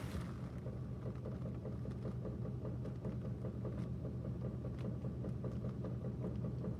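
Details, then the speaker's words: 2010 Ford F150 5.4L 3V, under 90k miles: light regular knock two to three per second at idle, louder on passenger side, worsening over 5 days, vibration felt at VCT/oil cap; owner suspects cam phasers, not timing chain; unconfirmed. "Knock knock knock. Driver side. Definitely louder on the passenger side. It's gotten louder over the last 5 days."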